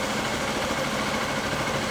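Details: 2011 Honda Bros 150 motorcycle after shop repair of a customer-reported strange engine noise, test run: even, steady single-cylinder idle with a smooth beat, no knocking or top-end rattle. Normal idle.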